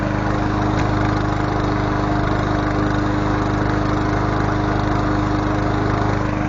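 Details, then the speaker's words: Honda GCV160 lawn mower engine after ignition coil replacement (faulty coil was the no-run cause): steady, even single-cylinder chug at constant speed with no misses or knocks; runs healthy. "Alright, she's alive. We got her running. Sounds good. It was a coil. The coil was messed up."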